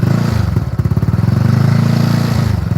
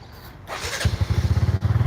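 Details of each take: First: Benelli 135 single-cylinder motorcycle idling with a loose, clattery rattle over its thumping beat; the noise seems to come from the engine, though a loose vibrating fender is also suspected, and loose bolts were already tightened, which removed some of the noise. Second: Benelli 135 motorcycle, a second bike used for comparison: it starts quickly and settles into a quick, even putter with no rattle or tapping. This is the normal start and idle.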